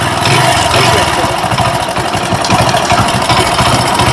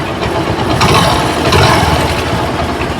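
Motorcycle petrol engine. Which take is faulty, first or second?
first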